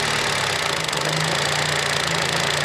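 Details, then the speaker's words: Fiat Uno FIRE fuel-injected engine, not yet warm, after adjusting idle speed via the throttle: even, slow tick-over with a steady low hum and no knocks or stumbles. Normal slow idle. "But as you can hear, it ticks over quite nice."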